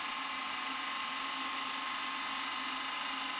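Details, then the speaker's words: Milk float electric motor on PWM temperature testing, duty cycle rising, about 20 A average current, motor temperature dropping: steady high whirr with faint even hum, no grinding; runs cleanly at increasing speed. "okay you can hear possibly hear it going up yeah the motor speed's increasing pwor Cycle's increasing temperature dropping"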